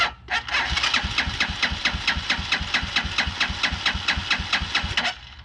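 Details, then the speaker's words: 2010 Dongfeng DF250RTB 250cc single-cylinder air-cooled motorcycle after 10 years sitting, fresh gas added: even starter chug about four strokes a second for some five seconds, no firing; not getting fuel, so the carburetor comes off. "okay well that is not getting fuel all right guess the carburetor is coming off"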